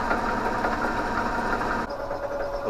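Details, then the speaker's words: Electric motor driving the generator alternator on a Winnebago LeSharo electric motorhome conversion with no alternator output: a steady whir sags and settles lower as the exciter coil kicks in and the AVR board LED comes on; the motor slows under generator load, then runs too slow. "now and you hear that the motor is slowed down and the led has came on on the avr board"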